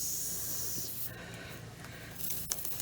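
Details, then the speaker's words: Punctured tire being reamed with repair-kit tool before plugging: sharp steady hiss of air escaping through the hole, then rough scraping as the inner wall is cleaned and roughed up; air leak from tire puncture. "And you can probably hear some of the air coming out, but this is what it's got to be, or otherwise that patch is never going to fit in there."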